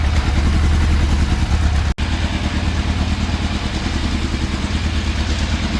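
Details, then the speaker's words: Fire-damaged 1980s Yamaha FZ750 four-cylinder on a sticky choke, before carburetor teardown: uneven, lumpy running that surges to about 2000 rpm and falls back with brief drop-outs, cutting out when the choke comes off. Hunting idle, cause unconfirmed. "okay so it is still not running right whatsoever because you can well you can hear it it's like it's hunting it's reving you know it's going up to like 2000 r pm. then it's going back down to 1"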